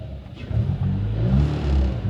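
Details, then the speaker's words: 2018 Subaru WRX, fully warmed, AF learning at -45: low, uneven idle, revs sagging and wavering as if about to stall. Rough idle; owner suspects another vacuum leak. "it's uh it's not sounding good i don't know if there's another leak somewhere yeah it wants to drop"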